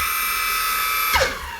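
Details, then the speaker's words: Evolve GTR Carbon electric skateboard, board lifted, wheel spun in Pro mode; motor had overheated with a worsening noise; high whine with shrill edge, one wheel stops abruptly while the other slows normally; cause unconfirmed. "this tire this wheel just stops this wheel slows down the way it's supposed to"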